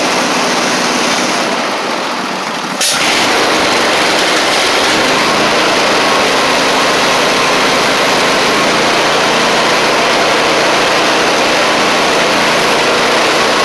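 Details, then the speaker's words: Husqvarna YTH24V48 riding mower after engine swap and new carburetor, now running on both cylinders; engine settles into a steady idle with a slight stumble, cause unclear. "Alright guys, I got a new carb on it. It's doing much better. It's still just got a slight stumble to it, but we're running on both cylinders."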